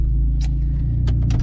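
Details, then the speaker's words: Jeep due for a new head gasket, running: deep throbbing rumble with a rough low pulse and sharp chirps from a bad exhaust leak. "it's got a pretty bad a pretty bad exhaust leak and I think that it's not good so we're gonna fix it sounds horrible life"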